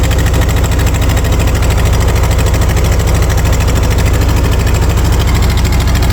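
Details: 1940 Ford 9N tractor, choked cold start: slow, rather low idle with a sharp puffing chuff on each firing pulse, smoking; small exhaust leak at a clamp, new clamps on hand, idle set a little low.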